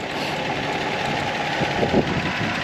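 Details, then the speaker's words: 1984 Toyota Celica Supra P-type, 5M 2.8L inline-six, 98k miles, 5-speed, timing belt done at 52k; hood open. Steady, even idle hum with no knocks, ticks or misses; runs smooth and healthy. "here's the motor 5mg 2.8 l just purring away um runs really really well super smooth makes all of the60 ponies that it's got"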